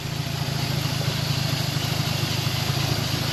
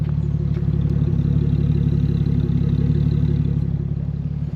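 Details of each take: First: Old Toyota Celica Supra with 4M engine, bought unseen: steady even idle with a light fast injector tick and a faint pulley whir from the belt end; suspected, not confirmed. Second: 1980 Toyota Celica Supra first-gen with 4M-E six, just delivered, battery was dead: smooth, even low idle with steady beat, no knocks, ticks or misses; runs healthy.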